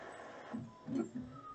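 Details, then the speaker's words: Epson L3110 printer. A few soft clunks and short motor whirs without a full feed cycle. The paper does not load, and the paper jam light blinks: a paper feed failure. "it's now blinking paper jump blinking from the paper jump because the paper does not load so that's the problem"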